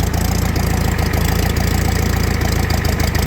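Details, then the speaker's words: Farmall F-20 tractor running for the first time in 11 years, started after a new battery cable and a truck jump: low lumpy idle with uneven thumps and dropped beats, running worse than the others; rough running, cause not identified. "Man, he runs a lot worse than the other 8s."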